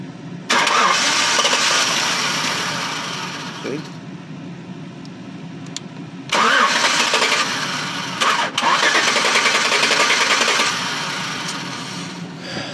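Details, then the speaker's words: 2007-2012 Chevy Tahoe, no-start only when cold, fuse box already replaced: two long cranking bursts, starter turning steadily at three to four beats a second but never firing; engine control module fault. "cranking those start you hear the starter turning over"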